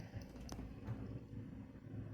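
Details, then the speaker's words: Bare washing machine motor run on the bench for comparison: quiet, low, steady hum with no knocking or grinding. This motor sounds fine, unlike the noisy one; a noisy motor may have a worn bearing or other wear. "o que não escutei não escutei o barulho Então tá bom agora esse aqui"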